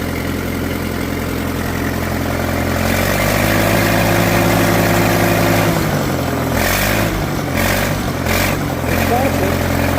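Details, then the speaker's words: Farmall at auction preview, started with no choke, has a snap-crackle-pop steady low idle of about four even pulses a second, no knocks or misses; oil pressure good, healthy. "Yeah. And word to the wise, no choke. I didn't I didn't use any choke at all. Got that snap crackle pop."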